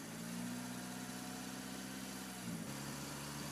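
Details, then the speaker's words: 2000 Mitsubishi Lancer, 1.8 4G93 GDI, right-hand drive, 150,000+ km, a few minutes after adding Suprotec oil additive for hydraulic lifter knock: steady, even idle hum with no ticking or tapping; lifter noise gone. "нет такого звука как был вообще нету"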